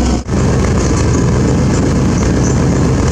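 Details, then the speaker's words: Z71 pickup V8 engine running with the exhaust partially off and leaking: loud and steady, with no knocking beat. "I've got the exhaust partially owned a little loud leaks well that sounds good to me"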